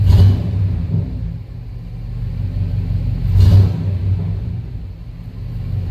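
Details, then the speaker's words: Rebuilt service truck engine running after reinstallation, warming up with oil pressure steady at about 40 and no check engine light: a deep, smooth rumble with two gentle revs and no knocks or ticks. Spark timing is still reportedly off and the owner suspects a cam or crank position sensor issue. "Sounds good. Can't really ask for one to run any better."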